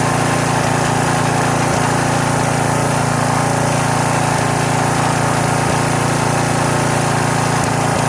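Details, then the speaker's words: Troy-Bilt pressure washer small single-cylinder engine, first start after sitting about 4 years, fresh gas added, choke just knocked off: steady even drone with only a slight occasional miss, running healthy. "Runs great though, first time in 4 years. Listen to that thing purr. Only a slight miss."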